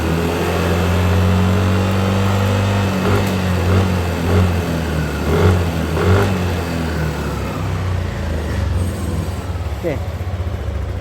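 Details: Yamaha Aerox single-cylinder scooter, revving after replacing faulty injector that caused no power and sputtering at high rpm: several clean revs rising and falling smoothly, no stumble or bog; runs normally.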